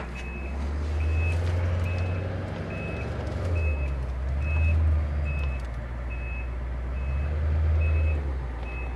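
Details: 1990 Ford E-350 Goshen bus with 7.3L diesel, backing up: high steady beep about once a second over low diesel rumble; reverse alarm working normally.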